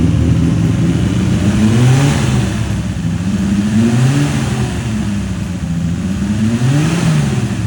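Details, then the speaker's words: 1978 Datsun 280Z with a newly installed L28 engine: an uneven idle surging every couple of seconds with a lumpy beat; the owner suspects timing, possibly distributor, fuel injection, tune or fuel pump. "Now, in that video, you'll hear that it didn't runs super great. Uh, I think I'm having a bit of a timing issue."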